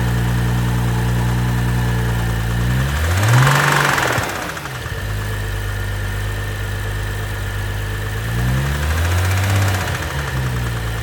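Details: 2012 BMW 135i M Sport F20/F21, N55 3.0 L petrol, 306 PS, 99,000 km: steady knock about four a second through idle, continuing through two revs; engine bearing damage.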